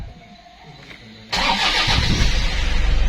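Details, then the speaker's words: 2004 Toyota Innova 2KD-FTV D4D diesel after SCV fix for codes P1229/P0088 (idle rail pressure about 160,000 versus normal 28,000–31,000): fires up promptly into a steady, even clatter; knocking gone, healthy start and idle. "Oke, aman, suara knocking hilang. Coba kita gas. Oke, clear."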